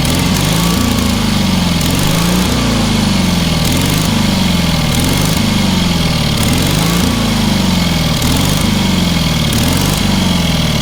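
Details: Engine on a free, long-neglected trailer-mounted man lift (cherry picker), pressure-lubricated with quite a bit of water in the oil and a corroded intake, throttle half open; small single-cylinder runs steady and strong, slight rhythmic speed swell, no knock or miss; runs amazingly well.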